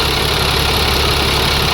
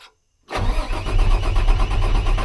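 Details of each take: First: International 4400 DT466 diesel that surged and dipped at idle, after replacing a chunked fuel filter O-ring with a used one: steady, even idle with constant low rumble, no dips or hunting; owner hopes O-ring was the cause. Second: International 4400 DT466 diesel with earlier surging idle, restarted after water pump repair and sitting: steady deep cranking that never catches, worse than before; low injection control pressure, oil system suspected.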